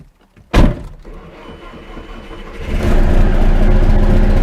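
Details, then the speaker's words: RingTracktor track car with a newly built race engine and solid engine mounts, first start: door thump, then the engine catches and settles into a deep, steady run with a low drone carried through the whole body by the hard mounts; normal running. "It's alive! It runs! And actually the first thing that I hear is the hard engine mounts, because you can hear the whole car vibrate."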